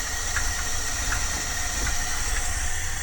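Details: 1978 Dodge van V8 idling with the doghouse off: a faint, sharp puffing tick over the steady rumble, consistent with a leaking exhaust manifold gasket; a new gasket and manifold bolts are to be fitted, and a loose heat shield may also rattle.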